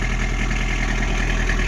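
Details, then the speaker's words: Toyota pickup at idle while warming up, after the exhaust was reworked with a Civic muffler: deep, even idle with a steady low rumble, no ticking, puffing or hissing; no exhaust leak, running smoothly. "are we leaking no that's not diesel exhaust it's just warming up it's good sounds good it's running good"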